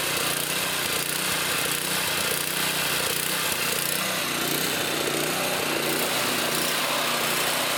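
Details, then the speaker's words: Trash-picked Toro Power Clear 621 E snow thrower, 163cc OHV four-cycle, previously wouldn't run, first start after repair, primed, choke on, warming up: busy even fast chatter, slightly rough on choke, no misses, sounds good. "got it going let it run let it warm up I'm leaving a choke on got it sounds good let it warm"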